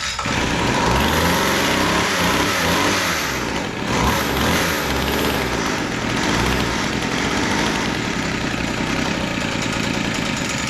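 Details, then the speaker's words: Weed Eater GHT22 hedge trimmer, long unused, restarted after carburetor idle tweaks: high steady two-stroke drone, no stumbling or surging; high-speed needle was too lean, low-speed too rich, now running normally. "again oh all right that sounds pretty good"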